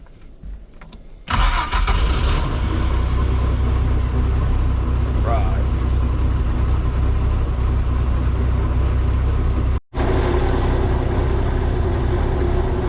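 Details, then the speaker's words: 1996 18 ft boat with Mercruiser 4.3, after replacing spark plugs: engine catches and settles into a low, fairly steady idle with occasional uneven beat and brief cutout; still breaking up, fuel pump to be replaced next. "well we're still having a little breakup issue but it sounds a whole lot better it's idling I'm trying not to fall it's idling like normal uh but the problem I have is it's just cutting up a little bit still"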